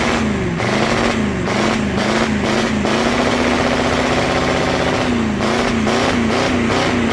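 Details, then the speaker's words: 1985 Ford F250 6.9 IDI naturally aspirated diesel, smoking heavily, truck won't move; revs rise and fall repeatedly then hold steady where governor cuts in, no knocking; normal free revving. "It's got a governor. There ain't no mosquitoes in the next 30 mile radius, but it has a governor for a reason, right?"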